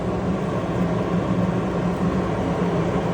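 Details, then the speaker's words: Planer dust collector blower motor at full speed, planer off, just pulling air: steady even rushing roar with low hum, no knocks or rubbing; spinning freely, normal. "planer's not on. That's just the blower motor pulling air."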